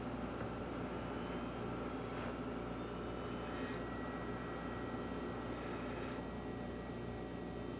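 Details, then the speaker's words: VAVA VA-LT002 4K ultra short throw laser projector (ALPD, combined phosphor/color wheel) powered up during repair; high whine rising in pitch as the wheel spins up over steady fan hum; a fan error appeared afterward; normal phosphor wheel spin-up. "i got a fan i hear the wheel spinning up"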